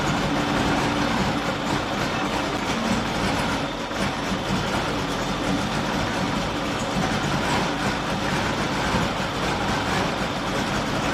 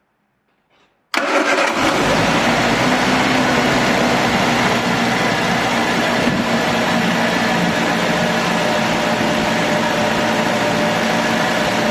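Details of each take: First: Triumph Dolomite 1300, carburettor refitted, dashpot topped up with ATF, started on a bit of choke after a week or two: uneven stumbling idle with dropped beats and lumpy rhythm; misfiring. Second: Triumph Dolomite 1300 after fitting new distributor cap and rotor arm: catches quickly and settles to a steady, even idle a bit too fast, engine moving on its mount, no misses; much better than before.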